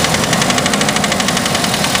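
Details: 2003 Chevy S10 with the 2.2 four-cylinder, knocking that started after new spark plugs and wires were installed in the correct order. Sharp, evenly spaced knocks, about eight to nine per second, over the idle. Cause not pinned down.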